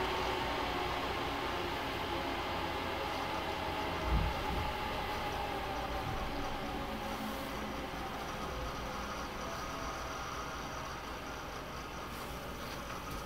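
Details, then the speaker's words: HP ProLiant DL380p Gen8 server, 24 DIMMs of 4 GB, eight 300 GB 10,000 rpm drives in RAID 5, both power supplies, no cards, idling after full boot: steady even fan whoosh with faint hum, no surging or rattles; fan noise normal. "as you can hear once it gets booted and it's idle the fan noise really isn't bad at all"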